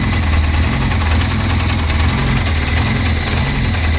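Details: Peugeot 205 rally car, first start after a 4-month rebuild with a new 206/306/Saxo flywheel and new clutch, firing order tried as 1-3-4-2, ignition timing not yet set: uneven, lumpy, stumbling idle; rough idle.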